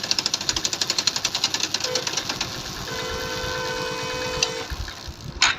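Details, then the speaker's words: Hero Glamour BS4 motorcycle, fourth gear at full throttle: pulling the clutch gives a fast sharp rattle, then a steady coasting whine; fine in 2nd and 3rd; play in clutch housing suspected. "और जैसे यानी कि हम 4 number लगाते हैं full speed में अगर हम क्लच लेते हैं कड़ जैसा इस तरीके से आवाज़ आता है।"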